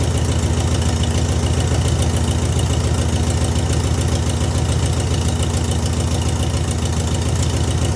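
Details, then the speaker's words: VW engine after fitting a new Pertronix distributor and coil and setting timing: steady, even chuffing idle, no misses, sounding much better; backfires when revved, suspected slightly lean. "Sounding much better."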